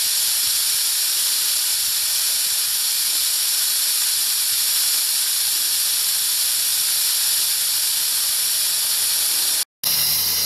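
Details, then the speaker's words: 2007 Pontiac Grand Prix 3.8 after water pump replacement and flush: air-driven venturi vacuum fill tool gives loud steady even hiss, pulling about 22 inches, coolant hoses sucked flat; normal vacuum fill tool operation. "see like the coolant hoses and stuff that's getting sucked right you know sucked right flat as it pulls the vacuum"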